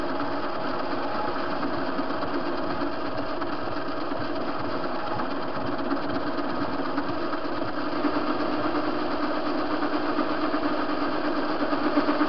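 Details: TV-16 lathe turning a hinge pin: steady motor hum under the cut with an uneven knock near three per second; play in the chuck, unstable bed.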